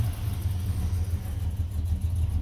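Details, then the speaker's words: 1991 Chevy Silverado C1500 350 V8 with Summit cam and 650 double-pumper carburetor, idling around 600–650 rpm: deep, steady, even rumble with no pops or misses; normal healthy cammed idle. "so right now it's at 600 650 um rpm but it runs pretty smooth you know it don't pop"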